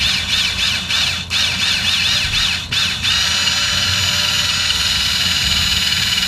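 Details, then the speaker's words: 2017 Lexus RX 350 F-sport rear electric parking brake motor powered from 12 V via alligator clips during pad replacement: high steady whirr with brief dips, then even running with no grinding until it deadlocks fully retracted; normal operation. "you'll hear this there hear that that's when you know you hear the motor it Deadlocks you're done that parking braik is the whole way back"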